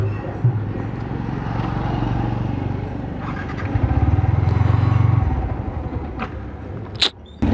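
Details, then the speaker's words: Yamaha R15 V3 single-cylinder runs unevenly, losing power, then cuts out, stalling repeatedly despite having fuel. The rider blames a mistake of his own; the cause is not confirmed. "तो रही है पर यह की बंद पड़ रही है बार-बार"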